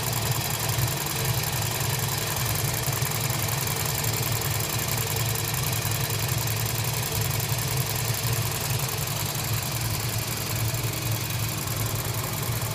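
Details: Toyota Voxy, 1AZ-FE engine, 300,000 km, slight white smoke: steady idle with a fast, even ticking-knock clatter over the rumble, no speed change; abnormal internal engine noise.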